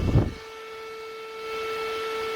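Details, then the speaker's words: PC cooling fan run up to about 3000 rpm: after a thump, a loud, steady, high-pitched whine with faint overtones, audible even when not pointed at the listener. High-RPM fan whine. "That is loud. Now, even if I don't have it pointing at you, you're going to hear that whine. You're going to hear that noise."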